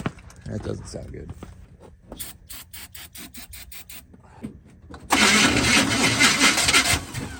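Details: Hard start of a 2001 Audi A4 wagon: uneven rapid clicking of the starter turning over, then a loud rough roar as the engine catches; labored start.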